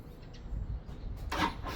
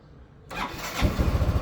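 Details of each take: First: Motorcycle hard to start in the morning, battery at 12.18 V dropping to about 9.8 V when cranking: starter fast at first then slows and drags, engine barely catches; weak battery, replaced. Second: Motorcycle with a fully charged battery at 12.69 V: one-click start with a brief crank, then it settles into an even, steady idle. Cranking voltage dips only to about 11.4 V, versus 9.8 V with the weak battery; normal start.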